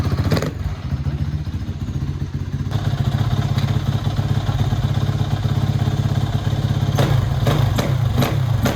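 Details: 2007 Kawasaki KX450F first start after rebuild: crisp single-cylinder thumping at a steady idle, then clean sharp throttle blips; runs evenly and healthily, normal running.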